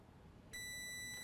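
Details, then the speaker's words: Nintendo Switch that powers on but does not charge: a multimeter in continuity mode on connector pin A8 reads a near-short fluctuating between 0.09 and 0.1, so the high beep sounds briefly, cuts out and returns. "A8 is reading a short. It's reading a short and it's fluctuating actually between 0.1 to 0.09, and that's why you hear it beep and then not hear it beep."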